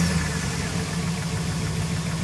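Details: 2006 Jeep Commander 4.7 SOHC V8 with a weird noise, from cold start to fully warmed: a steady low idle rumble with a faint uneven knock underneath, cause unclear.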